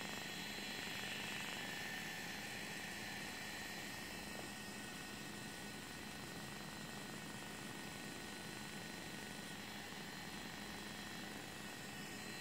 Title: Phantom 3 Loud Fan